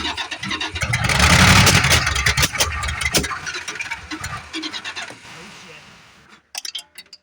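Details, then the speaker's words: 1973 Plymouth Fury III with a 360 engine swapped in after the car sat engine-less 7 years; rough uneven running with sharp irregular exhaust pops, several a second, backfiring. Owner suspects retarded timing, exhaust restriction or fuel starvation; cause unconfirmed. "Okay, well, she's popping. I don't know what the heck the deal is."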